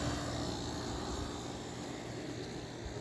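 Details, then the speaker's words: Sharp window air conditioner with LG rotary compressor, heard from outside after installation: steady low hum with a faint constant tone, no knocking; owner calls it junk but says it doesn't sound half bad; normal running. "sounds nice too a piece of junk LG rotary it actually doesn't sound half bad"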